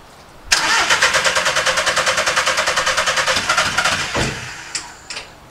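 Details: VW Caddy van that won't start, after coding injectors into ECU: steady starter cranking at about three compressions a second for nearly four seconds, never fires; new fault says injector one lacks power.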